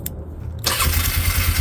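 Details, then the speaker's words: 1998 Polaris Sportsman 500 4x4 that cranked but wouldn't start, with a disconnected wire found as the fix: after a short crank it catches at once into a steady, even single-cylinder idle with no misses. Normal start. "now i just hit the switch turn right off put on the middle start right up"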